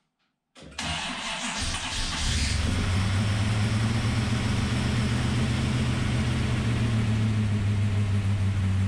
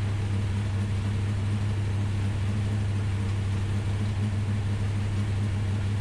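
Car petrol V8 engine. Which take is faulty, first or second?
first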